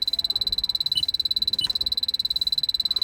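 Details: 2005 Toyota Prius that came in with 16 PSI vapor-only refrigerant, final AC evaporator leak test at dash vent after 20 minutes soaking, blower briefly pulsed: detector's steady high ticks at about three and a half per second never speed up; no detectable leak.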